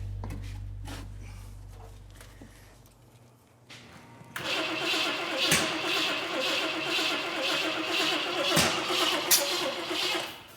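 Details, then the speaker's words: 454 V8 newly installed in 1951 Henry J, spark plug wire contacts fixed: starter spins engine steadily at about two turns a second but it never catches; distributor cap found turning counterclockwise, distributor installed for the wrong rotation. "it's frustrating oh wait whoa whoa the Cap's turning this way counterclockwise yeah"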